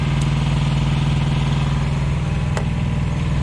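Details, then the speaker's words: Thermo King Evolution truck APU diesel, just started after inspection and repair and warming up, sounding much quieter; a steady, even idle with a smooth low drone and no knocks or rattles; healthy. "there we go it started up oh hear that much quieter hear that here we go i'm gonna let that i'm gonna let that warm up a little bit"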